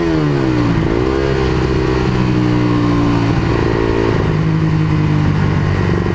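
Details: Honda CBR150R whose muffler silencer insert fell out during a ride the night before: revving with a loud, raw, booming exhaust note and low blat on each blip.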